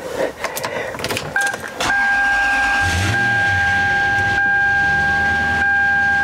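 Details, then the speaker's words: Toyota Land Cruiser after power steering pump replacement, engine running while bleeding: steady high-pitched whine from air circulating through the fluid while turning the wheel each way. "because you can hear it starting to whine from Air going through the system"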